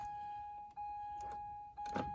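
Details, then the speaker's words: 2002 Mazda Protege power window: steady, even motor whine with brief dropouts and no strain, window not moving; motor works, so regulator (cables likely broken) is the suspected fault, replacement part ordered. "all right so yeah the uh window motor sounds like it is working so most likely it is just the regulator"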